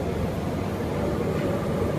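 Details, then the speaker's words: Two-burner propane forge, both burners at full throttle about 5 psi: steady, even roar with no sputter, popping or surging; burners burning properly. "Full throttle, we're running about 5 pounds of pressure."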